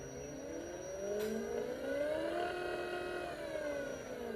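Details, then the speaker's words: DC motor speed controller with throttle on a 12 V supply: a clear tonal whine rising and falling in pitch as the throttle is ramped. This is normal PWM switching frequency noise, and some controllers are silent depending on design. "ลองฟังเสียงบางตัวก็จะมีเสียงมาตัวไม่มีเสียงนะครับขึ้นอยู่กับการออกแบบคือผลิตความถี่นะครับเสียงทีวีนั่นก็คือความถี่นะครับ"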